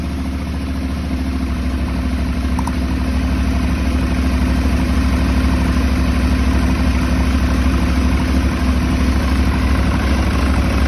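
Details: Aprilia Shiver 750 V-twin with rough idle: uneven, lumpy beat with loose clatter over the exhaust note; owner suspects throttle body problem, unconfirmed.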